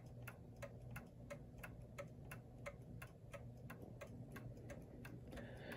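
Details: New Haven Clock Company Horace model pendulum clock, pallet clean: steady tick-tock about eighty-eight beats a minute with equal gaps; movement in beat.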